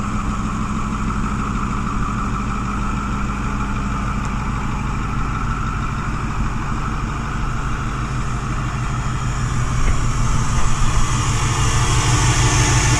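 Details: 2010 Ford F-250 6.4 Powerstroke diesel, Copart rebuild, idling up: smooth, unbroken low rumble with no misses or knocks, no smoke; normal diesel idle.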